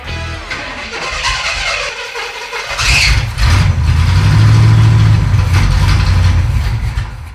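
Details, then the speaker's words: Pontiac T-37 junkyard car, fed gas from a jug via mechanical fuel pump: steady starter cranking around four beats a second, never fires; crank no start from failed mechanical fuel pump. "But right now, we're going to crank it and see if we can get our mechanical fuel pump to suck gas out of our jug into our fuel filter cranker."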